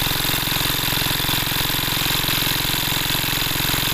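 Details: Greaves MK12 petrol-kerosene water pump engine running normally, a small single-cylinder chugging at a fast even beat with loud exhaust crackle.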